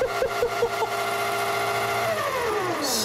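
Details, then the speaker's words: Giant LEGO go-kart motor rated to about 50 V, VESC controlled via receiver and Spektrum DX7 transmitter: clean whine rising then winding down smoothly, no grinding or clicking; quiet, smooth normal run. "it's going to be running off of my little spectrum dx7 transmitter let's see what happens it's very nice and quiet and smooth"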